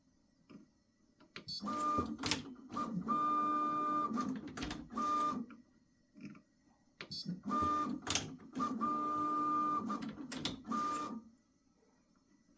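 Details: Prusa XL tool 5 docking after reseating the nozzle fully and a reset: bursts of stepper motion with clean steady motor tone, no squeak or drag; tool change now runs smoothly, no drag marks on tape.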